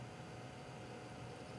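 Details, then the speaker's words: Desktop PC running Fedora 14 on hot 105°F day: steady fan rush with thin constant whine, traced to noisy GPU cooling fan on ATI 4550 512MB video card, later replaced. "now let me get my mic and put it down that way you can kind of hear that whine right now that right there"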